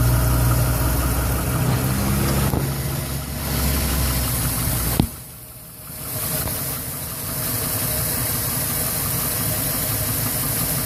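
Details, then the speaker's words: 2011 Chevrolet Silverado 5.3L, 126,000 km, with a recently replaced PCV valve cover, starting hard after sitting 8 hours: it knocks, then idles unevenly with a shudder and a loose tick, sagging as if to stall. Cause unknown. "Yeah, she's got quite a shudder and quite a bit of wonky noises going on."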